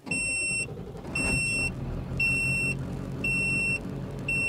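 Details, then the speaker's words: 2000 Ford 7.3 Powerstroke diesel, 212,000 miles, alternator/charging complaint: audible voltmeter beeps sharply about once a second over diesel idle, flagging low voltage just after start before charging climbs from 12.6 V and beeping stops. "so the voltmeter is a little past center but we can't tell now it just start charging we're 12 6 and that voltage will climb it's stopped beeping"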